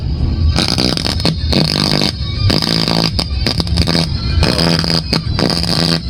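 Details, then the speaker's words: Bluetooth speaker (given to owner by sibling; owner kept turning the volume, thinking it was broken) with its volume control refitted and battery socket re-soldered, playing FM: rough, hoarse, choppy audio with gritty buzz. The fault is the audio amplifier IC, not the volume control. "Ay iniikot na ang volume kasi parang mahina ang tunog at parang namamaos. Kaya yung volume yung pinipihit. So hindi po yun sa volume. Talagang may sira dito sa kanyang audio IC amplifier."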